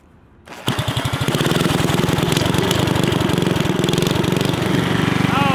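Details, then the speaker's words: Built Briggs & Stratton 5 hp flathead with racing piston and honed cylinder on a rat rod wagon: starts with a pull and settles into a steady even chuffing idle with no knocks; runs fine but smokes heavily. "I mean, it sounds good. It idles. It's just really smoky."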